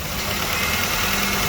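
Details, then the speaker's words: 1998 Honda Odyssey with JDM F23A swap; high idle cured by loosening tight cruise control cable, not throttle cable; steady even idle, no hunting, surging or knocking; healthy at normal idle speed. "the cruise control cable that was tight. So there we go. She idles good, no problems."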